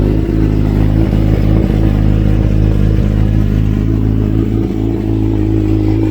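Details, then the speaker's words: 2008 Kawasaki Ninja ZX-14R, one owner, Brock's 4-into-1 exhaust, Power Commander III, at cold start: a loose, uneven metallic clatter over idle from the timing chain, which fades once the tensioner fills with oil. Owner suspects a worn tensioner and plans an aftermarket manual cam chain tensioner. "you got a famous rattle the kawasaki rattle be from the timing chain one of the timing chain tensioner it gets filled up put some pressure on that on the timing chain and all that rattling is gonna go away"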